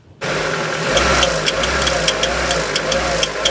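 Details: Nissan March with a welded exhaust manifold: steady metallic tapping about four times a second from inside the running engine; engine knock, cause not yet pinned down.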